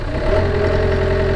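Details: 1991 Yanmar B50 excavator diesel idling after repair of temperature and oil pressure warning wiring; steady even low drumming idle, no warning buzzer; engine running normally, electrical faults fixed.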